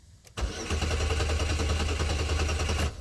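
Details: 2002 Chevy Malibu towed in: starter cranks steadily about two and a half seconds, engine never fires; tach shows no rpm while cranking, crankshaft sensor suspected, theft light flashing.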